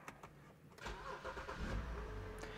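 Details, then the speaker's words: BMW N52 with intake VANOS fault 2A82, warm after driving, about 83 miles after repair work: short crank under a second, engine catches and settles into a slightly uneven idle that bounces and surges, sometimes above 1100 RPM. "H that wasn't really too bad let's see if it does the idle thing"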